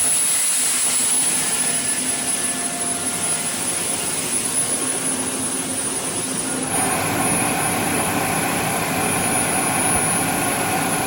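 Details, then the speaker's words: 2010 Camaro jet car, Boeing T50 turbine with 700R4 transmission, in park, no throttle: loud steady jet roar with high whistle on top, even unwavering tone; normal turbine idle. "Was your foot on the gas? No. No. He was out of the car. That was idle."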